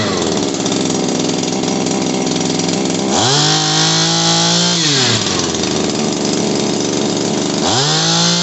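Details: Shindaiwa PB270 power broom two-stroke after carburetor repair with fresh gas: buzzing at steady idle, then revving up cleanly twice and dropping back, responding well to throttle; normal running.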